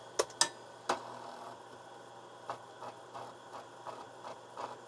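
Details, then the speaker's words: Old 8-inch floppy drive from a TRS-80 Model II, possibly unused for 30 years, connected to a PC running a clean-head routine: quiet, light, steady head-stepping clicks with no grinding, a healthy seek; head may seek slightly too far, hitting a stop. "let me pick the option clean head and that's just going to move this head back and forth on the disc a bunch of times here we go"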